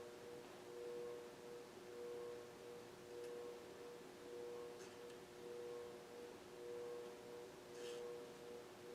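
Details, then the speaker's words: Older 52-inch Fasco Parlour ceiling fan with cardboard-box variable speed control, likely moisture-exposed, some wobble: quiet steady hum with a soft rhythmic grunt about once a second. Worn, noisy bearings. "And as you can hear, the bearings are starting to make some grunting sounds."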